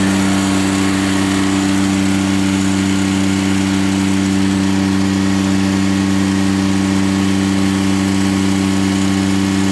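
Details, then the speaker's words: Completely rebuilt Grasshopper 721 mower, straight three-cylinder Kubota gasoline engine, started on choke: constant steady hum at fixed speed, no misfire, knock or whine; normal running. "I'll fire it up for you real quick give it choke there it was fired there there it is running"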